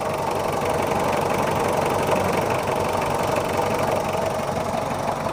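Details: Mitsubishi Kuda diesel, still cold at 68 degrees, after service and injector nozzle replacement: steady, even light idle clatter with no misses or extra knocks; engine sounds healthy.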